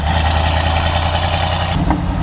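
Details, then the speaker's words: 1986 Ford F250 with V8 after ZF5 manual transmission swap: deep, even rumble with exhaust burbles, much quieter than before; map/TPS behaving oddly with no secondary; normal running. "Dude, it's so much better now. It's like it's quiet. Very quiet."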